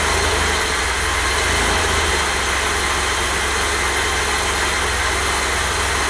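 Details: 1988 BMW E32 735iL with rebuilt M30 B35 straight-six, first start after the rebuild (fuel pump primed; original block had 395k): smooth, even idle with a steady low rumble, no knocks, misses or surging; normal idle.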